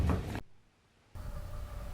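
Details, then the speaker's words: 2014 Electrolux/Frigidaire clothes dryer running with heavy low rumble and hollow whirring hum; blower fan has broken away from the motor shaft, fixed by replacing the blower fan. "this is what it sounds like when the blower fan breaks away from the motor"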